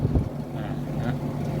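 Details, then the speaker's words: LG condo air conditioner outdoor unit (R410), after repair for weak cooling, loud compressor and slow fan: steady low hum with strong airflow blowing about a metre, no rattle or labouring; current about 3.24 A, lower than before; fan running healthy. "แต่สำคัญคือพัดลมครับเนี่ยเห็นมั้มันจะเป่าได้เป็นเมตรเลยเห็นมั้ย"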